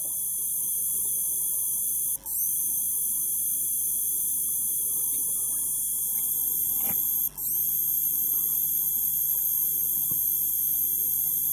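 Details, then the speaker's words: APC Back-UPS CS 500 while charging: steady high-pitched squeal cutting out about every five seconds, caused by the charger transformer rather than the capacitors. "И вот пошёл этот противный писк Я надеюсь что вам слышно его прерывистый писк"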